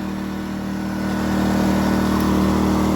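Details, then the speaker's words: New Predator 2000 inverter generator: a steady, smooth hum that rises slightly and holds even with no misses or knocks; normal, quiet running. "it will should idle up but if you don't want it to idle up and down you just push this off"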